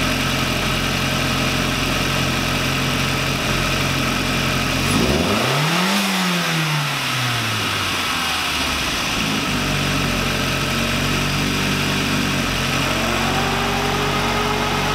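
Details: VW Lupo 1.8T (GT30 turbo) first restart after engine failure, rebuilt with H-beam conrods, new bearing shells and 2 mm thick head gasket: smooth idle, one quick clean blip rising and falling evenly, back to steady idle; runs very well.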